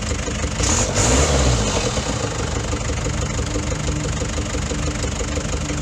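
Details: Daihatsu Fourtrak pickup, replacement engine after head gasket failure; steady even low rumble with a quick blip, no knocks or misses, idling smoothly; a later intake popping was blamed on too-large valve gaps.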